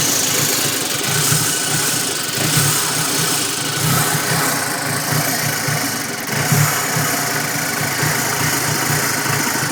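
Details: 2006 Audi B7 A4 2.0T turbo petrol idling roughly with an irregular low pulsing, caused by a faulty intake manifold gasket creating a large vacuum leak.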